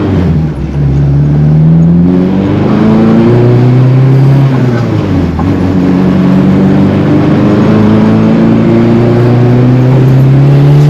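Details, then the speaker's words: AWD Honda Accord on test drive with suspension clunking; engine rising and falling through gears with an intermittent knock under road noise once moving; owner leans toward axles, possibly traction bar, suspension seems tight, not confirmed. "So I'm starting to lean towards the axles, but I don't know. We'll see. Once it's moving on, you can hear it."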